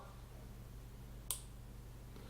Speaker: we'll switch things on and that you can hear they're clicking that's the the relay being switched on so that's happy to work